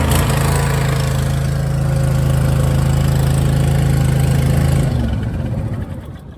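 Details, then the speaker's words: Cheap zero-turn mower, previously fixed for a loose muffler and a loose drive belt. The engine cranks with a steady, even hum for about five seconds without catching; intermittent long cranking and hard starting, cause unknown. "And the last issue that this had is sometimes you'll go to crank it, and it takes so long to get it started."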